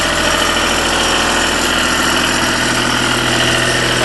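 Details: Deutz diesel engine driving a Lima generator, first start-up after repair, at about 1,850 rpm; alternator and shutdown solenoid not connected: steady even clatter at constant speed with no knocks, misses or surging. Normal running.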